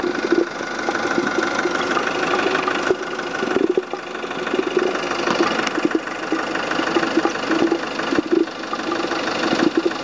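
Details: Volvo S40 at idle: even idle with repeating mid-pitched chirping pulse, strange noise seemingly from coolant expansion tank; cause not identified.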